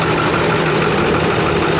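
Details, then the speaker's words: Ford 6.4 Powerstroke diesel, customer complaint of rough running, leaking, smoking, heavy blow-by, turbo possibly failed: uneven lumpy idle chug with no clean beat; cylinder number two found dead. Dead cylinder rough idle. "so we have a number two that's just dead"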